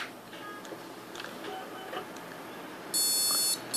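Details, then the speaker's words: PC with newly installed DDR3 server RAM and an upgraded eight-core processor gives a loud, shrill POST beep, a brief gap, then another beep at power-on. "it beeps i thought what's going on here then is it either the processor or the ram honestly for our first fall it was the processor for some reason um and that was just beeping away like that obviously that's the sound of a failure"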